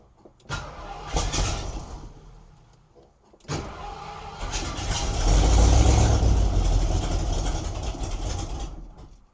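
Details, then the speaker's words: 1972 Ford Maverick Grabber ex-drag car, owner-rebuilt 302 V8 with hand-lapped valves, first running after 30 years: cranks, catches, then revs with a strong, fairly even beat and no knock; running properly, though owner plans to add timing. "Oh, that's so exciting. Oh my gosh, that thing sounds mean."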